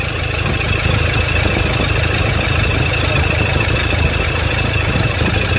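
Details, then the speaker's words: Toyota Fortuner diesel had misfired; after injector work it settles into a steady, even idle, low rumble, no stumble or missed beats. Normal idle after repair; problem solved. "बंद कर गाड़ी start कर दे सकते बरोबर है एकदम ऐसा भी मैंने इस निकाला पूरा मिंग कर था गाड़ी अभी एकदम परफेक्ट है"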